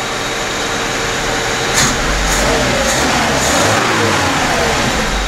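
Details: VAZ 2121 Niva with Solex carburetor, complaints of huge fuel consumption, hard starting and frequent plug replacement; after fitting new spark plugs, engine catches and revs cleanly through throttle blips with no misfire, strong spark measured.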